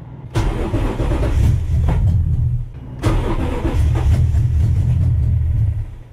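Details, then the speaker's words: 2nd-gen Tacoma with a swapped 3UR-FE 5.7L Tundra V8 and new ECU, on a cold day: it catches and runs only a second or two before dying, twice. The key is registered, so the owner doubts an immobilizer issue; cause unconfirmed. "tried to start it starts up for one second shuts off"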